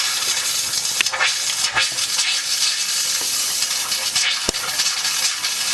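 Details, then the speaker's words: Hot water heater refilled after flushing, cold supply back on and relief valve shut: steady loud hiss with irregular spitting bursts at the hot faucet while trapped air purges before water flows. "All the air inside our system, that's going to purge. That's going to come out from there. See, as you can see, the air is started to come out."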